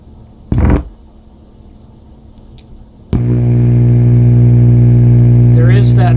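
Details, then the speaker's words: Boston Acoustics HPS 10SE subwoofer saved from e-waste, amp working: single thump then loud steady low buzz at switch-on with no input; owner believes 60 Hz hum, not yet proven with scope. "buzz that's basically a 60 Hertz halt I believe a scope to actually prove that"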